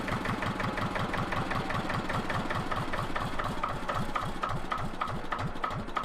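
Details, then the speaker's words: Engine of a 1970s Johnson's dumper being repaired, idling on a cold day before the gearbox was refitted and tested; slow, even chugging beat with clear, regular firing pulses and no knock or miss; normal idle. "Oh, just listen to that engine, doesn't it just chug along? Sounds beautiful."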